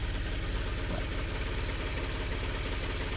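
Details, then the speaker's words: 2006 Honda Odyssey: loud, fast, regular rattle riding on the idle, like a rattlesnake, about two to three beats a second; source not yet found; engine rattle. "el problema grande de este carro es que tiene un ruido en el motor bien fuerte está sonando como como una serpiente Cascabel ahí el motor rathering como dice un sonido extraño"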